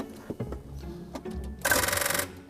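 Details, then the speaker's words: Alfa Romeo 164 with intermittent crank: after moving the starter solenoid wire, brief half-second whirring crank that never catches, no spark; disturbed main starter lead feeding the coil packs was the poor connection, crank no start. "What I've done is I've gone to the starter motor to move the wire that activates the solenoid, but at the same time I've disturbed the main lead, and that gives power to the coil packs."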